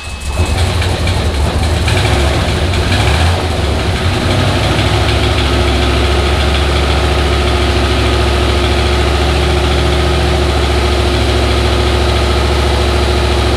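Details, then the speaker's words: Junkyard 5.3 LS turbo in S-10, first start after rebuild replacing bent rod to cure tick, no antifreeze; catches and settles into steady deep idle, lifters noisy at first, no rod tick; sounds healthy. "i mean the lifters were noisy when i first fired it up but then aft"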